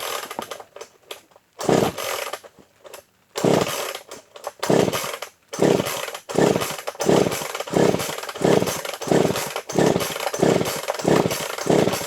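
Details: Pull-start chainsaw, unused an estimated 10 to 20 years, primed first, with a soft-start pull. A few pull-start rasps, then it catches and revs in repeated sharp throttle bursts; the saw starts and keeps running.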